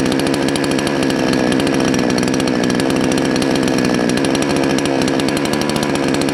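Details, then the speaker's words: Salem Master chainsaw at full throttle while turning the high-speed jet: steady buzzing scream wavering in the middle; too far counterclockwise smokes and floods rich, too far clockwise too lean and won't rev; high-speed mixture misadjusted. "okay so we went way too far counterclockwise we got smoke so it's flooding way too far clockwise too lean doesn't want to rev up"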